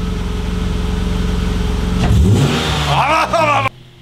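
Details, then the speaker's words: BMW E36: steady idle, then a loud scraping squeal that climbs and wavers with rpm, a worn pilot bearing. "also ihr habt gerade gehört wie sich richtig beknackte geräusch"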